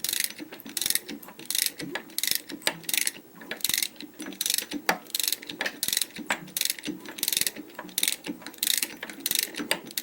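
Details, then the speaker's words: Opel A18XER engine with twin cam phasers, being disassembled for heavy oil consumption and knock: exhaust cam phaser turned by hand with a 24 mm wrench gives sharp uneven dry clacks as the camshaft moves while the gear stays put; worn cam phaser. "а распредвал то есть делает немножечко ход не знаю как бы так показать давайте наверное покруч вы послушайте сами этот звук так так крышка видите клацает и вот такую вот стуку"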